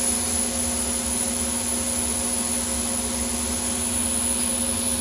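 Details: Overhauled GE unit with upgraded EZ Lube oil system, about 8 psi at inboard and outboard bearings, Easy Lube pump expected to take over from the deadheading auxiliary pump: steady roar with a constant high whine, no knocks or surging; running smooth and even.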